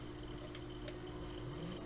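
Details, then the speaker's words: HP TouchSmart all-in-one PC hard drive tested in USB docking station: quiet whir, low hum and sharp clicks, red light blinking, drive not detected. Crashed hard drive, replaced with 480GB solid-state drive. "the red light is blinking making a lot of noise on if you can hear that on the microphone or not"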